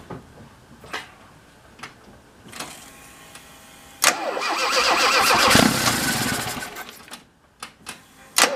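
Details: Alfa Romeo with SPICA mechanical injection pump, after the pump gap, rod length and timing were adjusted to cure very rich running: a few clicks, then the engine catches on the crank and settles into a steady run; it starts and runs properly now.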